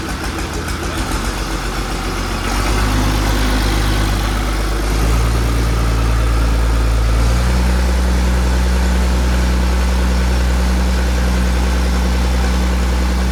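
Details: 1959–1960 Allis Chalmers D17 Series 1 tractor after fuel pump installation, started possibly with ether and suspected low compression: low steady idle with slightly uneven stumbling rhythm, missing a little.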